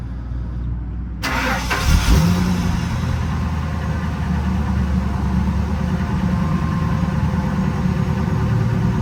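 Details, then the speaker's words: 2000 Ford Excursion with a crank-no-start, after a connector was reconnected at the fuel tank: the engine cranks briefly, catches and settles into a steady, even idle with no stumble or knocking; it runs normally. "all right guys so we can hear running now"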